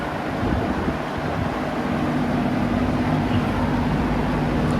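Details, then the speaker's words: Vintage fan, non-clicking switch, medium stepping to a strong high: smooth even airy whoosh with soft low hum, no ticks or rubbing; normal running. "And then maybe high here. Nice, strong high."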